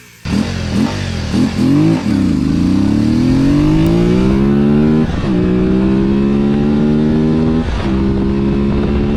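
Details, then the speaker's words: 1989 Honda VTF250 Interceptor 249cc V-twin after carb cleaning (stuck vacuum slide freed), riding to 80 mph: pulls smoothly through the gears, much better acceleration, faint miss remaining; slight misfire, suspected worn plug wires and caps. "Well, that was much better. I saw 80 miles an hour on the speedo there. Had way better acceleration. Still not running perfect. I need some new spark plug wires."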